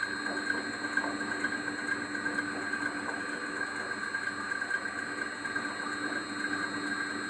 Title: Pulley noise after belt adjustment